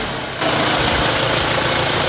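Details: Isuzu Panther 2500cc diesel, never had an engine rebuild, after timing gear removal/refit and setting repair: steady even idle clatter with no stumble or extra knock, running smoothly and healthy.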